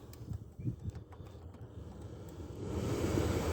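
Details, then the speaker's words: Chevy Silverado / GMC Sierra HVAC blower motor after replacing a fuse and resistor-module connector: soft, steady rush of air builds and holds with no rattle or squeal; blower runs normally on low speed. "Yeah, there we go. Not sure if you can hear it. Yeah, it works. Works on low."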